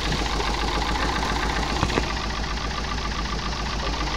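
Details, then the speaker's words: Daihatsu Gran Max petrol van engine just started, idling unevenly with irregular stumbling, rough misfire beat; engine lacks power and sounds harsh when revved. "ini mesinnya sudah kita hidupkan ya teman-teman kita mau dengar suaranya pincang pincang juga terdengar suara kasar ya seperti ini"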